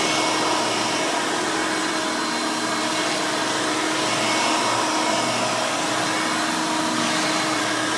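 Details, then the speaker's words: Vintage 1990 Hoover Elite 350 U4463-9 upright vacuum with a 5-amp motor running: a loud, steady high-pitched scream with an even airflow roar and no surging or rattle. It runs normally. "let's go ahead and run this thing so you can hear it in all its screaming, overly loud Hoover glory."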